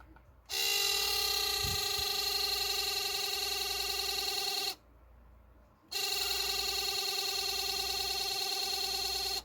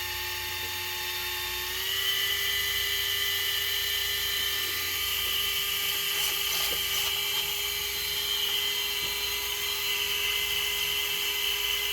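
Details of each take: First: Broken ESC cooling fan on an Arrma Senton 4x4 RC truck, before replacement; it makes a harsh, high-pitched buzzing whine in two bursts of about four seconds each: failing cooling fan noise. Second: New Surpass Hobby ESC cooling fan just installed in an Arrma Senton 4x4 RC truck, replacing a broken one; a high, clean whine steps up in pitch after a couple of seconds, then holds steady with no rattle, good airflow: normal cooling fan running.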